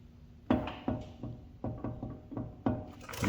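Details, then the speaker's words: Budget turbo Honda Civic on a lift, wheel rocked front to back: dull clunks about every 0.4 seconds with large tire movement. Ball joints show no play. The play is in the worn tie rods, the same on both sides. "And look at look at how much the tire moves. See how much is moving? That is all in the tie rods. And if I go to the other side, it's virtually the same way."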